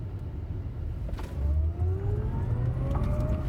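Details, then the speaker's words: Tesla just back from service, hard acceleration from about 20 mph: around 30 mph a low droning rumble swells beneath the rising motor whine, an abnormal noise the owner can't identify. "It didn't start off having the noise, but then it got into it, and there was that noise. It's totally abnormal."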